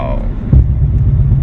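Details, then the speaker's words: Front caliper worked loose (anti-seize on caliper bolts); driving on radar cruise control, heavy low rumble and shudder when braking, vibration first noticed after bumps, initially suspected failing passenger-front air strut; loose brake caliper hammering. "then i pressed the brake oh that's my brakes doing that that's not good that's not good that's the brakes making that noise oh my god wow"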